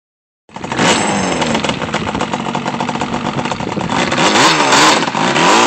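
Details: Yamaha Banshee twin two-stroke, quick run after rebuild: starts crisply and revs up and down cleanly with a sharp, even crackle, no knocks or rattles; normal healthy running.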